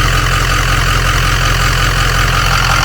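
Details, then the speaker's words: Ford 6.0 diesel after replacing the 22-year-old turbo and reseating the loose number one passenger-side injector: steady smooth low idle rumble, no chop or rattle; normal idle. "And that sounds so much better. If we come back here, it actually sounds like a jet now. No chop, no nothing. Like it should."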